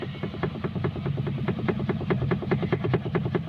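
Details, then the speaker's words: Maruti Suzuki Alto steering rack knock, heard from underneath when the wheel is rocked and over potholes: quick dry clicks about seven a second from a loose steering rack damper; fix is checking and tightening the three 12 mm damper bolts. "Play ചെയ്യുമ്പോൾ കിടക്കിടക്കെന്നുള്ള ആ ഒരു sound കേൾക്കുന്നുണ്ട്."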